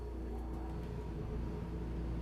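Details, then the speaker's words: Gulfstream Conquest 6311 RV rooftop air conditioner on 120V shore power or generator, set to cool high: low, steady hum with soft even whir, no rattles or surging; running normally. "and you'll hear the AC turn on."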